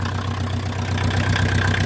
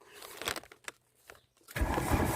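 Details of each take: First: VW Mk2 Golf 1.6 diesel, just refitted, idling not fully warm without choke: loud, clattery idle with a hollow, breathy roar on top, louder because a tube going down from the engine is missing; owner will fit a new one. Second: VW Mk2 Golf 1.6 diesel, just refitted and run earlier that morning, started without choke (owner later says it wasn't warm enough and needed it): starter churns briefly, engine catches and settles into a loud, steady clattering idle; clean start.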